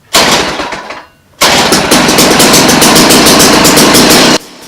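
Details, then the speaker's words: Small two-stroke ice auger: catches after a false start into a heavy, uneven burble at high idle, smoky; sounds too rich. "ah she's all smoky in here it just sounds like it's got too much gas so let's just try to turn it down a little bit"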